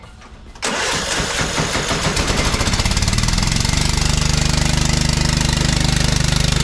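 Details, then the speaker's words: John Deere LT155 riding mower single-cylinder engine: starter crank, then catches into lumpy shaking idle with heavy rhythmic thump; engine wiggling around because mounting bolts are missing. "so like i said the other day i came out and started this thing up and the engine was all wiggling around so i had to quickly shut it off"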